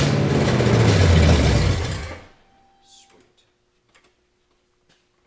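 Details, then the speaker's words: Foxbody 5.0 V8 swap, first successful start with throttle given. A deep, even V8 roar for about two seconds, then it winds down; the engine runs cleanly. O2 sensors and timing are still to be sorted. "want some more two sensors and a couple other little things but put it again i'll give it some throttle all right sweet some o2 some timing minor details yeah success stuff sweet"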